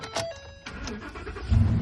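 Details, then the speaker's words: 2019 Ford F250 that came in cranking but not starting, suspected fuel pump problem, now running after power was back-probed to the fuel pump relay built into the fuse box: brief crank, catches at once into a firm, even idle with no codes. "truck runs, no problems, no codes inside the vehicle at all"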